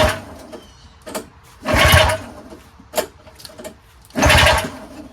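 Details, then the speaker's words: Yard Machines single-stage snowblower with a seized engine that has just been freed. The ignition switch and primer hose are reconnected, spark is confirmed, the plug is refitted and carb cleaner is sprayed into the intake. Two recoil pulls each give a brief cranking rasp with no firing. It will not start. "So it doesn't even start. Doesn't turn over."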